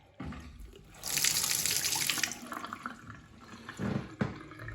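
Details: Bath and basin taps after new washers and copper grease on spindles: smooth steady hiss of water, no squeal, hammer or chatter; taps flowing normally after repair.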